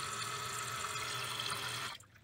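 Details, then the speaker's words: Toilet with a newly installed, height-adjusted fill valve. Steady hiss of filling that cuts off cleanly near the old water line after about two seconds, with no dribble. Normal fill valve shutoff. "so now if we turn our water on it should stop at our old line or pretty close to it"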